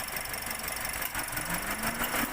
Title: TOYOTA VIOS 1NR P1605 rough idling Palyado, Jerking, Kumakadyot - Cylinder misfire |Anong problema?